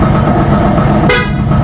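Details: 1998 Suzuki X4 motorcycle, about 25 years old, warming up after over a week unused: over a busy engine idle a short, clear horn note sounds for about half a second, strong and steady; the horn works.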